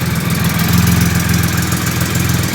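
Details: 2008 Triumph Rocket 3 after starter relay mod, on a borrowed battery: deep, steady, even idle with a smooth low rumble and no knocks or misses; normal idle.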